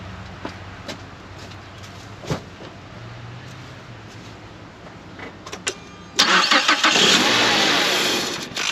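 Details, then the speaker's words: 2011 Mazda CX7 after engine replacement, once the forgotten sensor was plugged back in: a quick crank catches into a smooth, even idle with no misses or knocks. Normal start and idle. "Alright guys, that is successful. What happened was I forgot to plug in the sensor down there."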